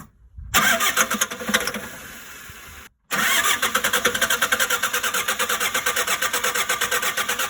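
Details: Shengong 20 diesel that won't start; two cranking tries with even starter beats about four a second, never firing; failed high-pressure fuel pump, fixed by replacement.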